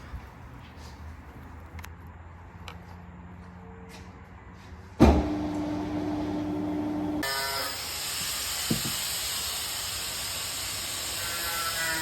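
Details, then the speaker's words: Alfa Romeo 159 power steering after draining dirty, debris-filled fluid and refilling with new fluid: engine running, wheel turned side to side to bleed air; soft hiss and light pump hum, sounding much better, healthy normal operation. "turn the wheel side to side get any air at the system as you can already hear though the sound is all so much better already"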